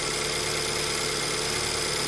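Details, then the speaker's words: 2008 BMW E90 318 after replacing faulty fuel injector with a second-hand one, cold start with idle slightly high; even, steady idle with no stumble, miss or knock, misfire fixed. "smooth very smooth actually so I'm actually quite happy with that"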